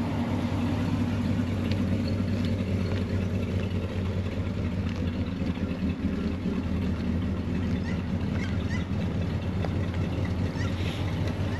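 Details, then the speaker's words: 1966 Ford F-250 Custom Cab, warmed up, no choke, dual exhaust outlets: low, even burble at idle, steady rhythm, no ticks, vibration or exhaust manifold leak puffing; barely audible, smooth healthy V8 idle. "double sortie d'échappement et le moteur voilà que qu'il vibre pas qu'on l'entend à peine magnifique"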